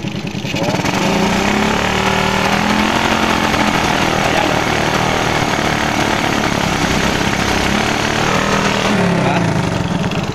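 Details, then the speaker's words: Smash 110 motorcycle single with a faulty carburetor. With the carburetor hole left uncovered, the revs are uneven and popping with ragged stumbles; covering the hole by hand makes it sound good: misfire. "Ayan o, palyado. Palyado po yun. Kaya ito, pag tinakipan mo ito, ang ganda ng tunog."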